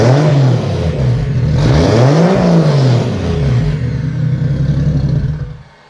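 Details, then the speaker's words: Turbo Toyota Soarer first start after retrofitting a newer-style wastegate, wastegate not yet plumbed: engine blips up and down a few times then shuts off, smooth and quiet, no ticking or puffing from the manifold. "We got it running, we got the wastegate installed, it's nice and quiet."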